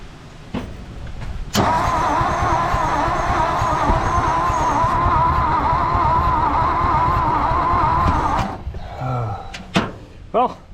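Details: 1959 Ford F-600 straight truck, 292 Y-block V8, long-dormant, after work on the distributor rotor: steady starter churning about seven seconds, around three turns a second, no catch or pop; cranks but won't fire, cause suspected, not confirmed.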